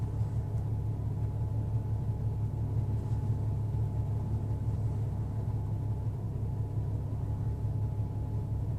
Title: Rough idle